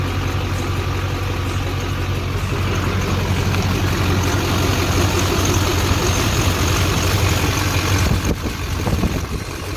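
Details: 2001 LB7 Duramax diesel, about 185,000 miles, idling: faint thin high-pitched squeal over the clatter from the serpentine belt drive, squeaking for years; worn idler pulleys/belt tensioner being replaced.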